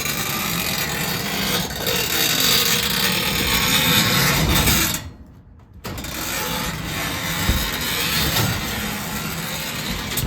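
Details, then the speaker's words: Cloplay 9x7 garage door: steady dry scraping rub and squeak as the door travels. The lift cable slips off and rubs the sharp edge of the track, which risks fraying. "It keeps sliding off the edge here, and then it starts to squeak. And then on this side, it's always off. So, [snorts] it's always rubbing against the the track."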